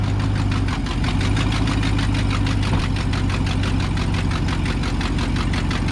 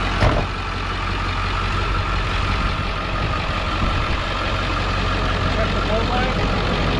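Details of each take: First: Auction work truck V8 at idle, 93,000 miles, check engine light on: sharp, even ticking about four per second with hissing, louder than it should be; exhaust manifold leak from a broken or missing rear bolt. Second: Auction work truck that starts right up and drove and shifted fine, with a slight oil pan drip: steady low clatter at an even idle, no knocks or misses; healthy.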